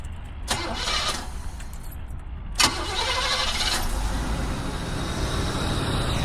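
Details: Oldsmobile Cutlass started after changing spark plugs and wires, one rear wire possibly not clipped on right: a couple of short cranks, then it fires and holds an even idle with no obvious misfire or stumble.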